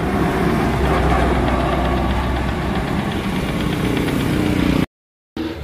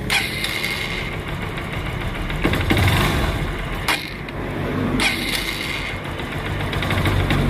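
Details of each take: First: Honda TMX Supremo motorcycle that died and started hard when wet from rain or washing, after repair: steady single-cylinder idle with even low thump, no stumbling before brief cut; running properly. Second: Honda TMX Supremo that dies and is hard to start when wet from rain or washing, engine hot and wetted: uneven running with stumbles and dips, then cuts out; leaking spark plug cap, not coil, lets spark escape.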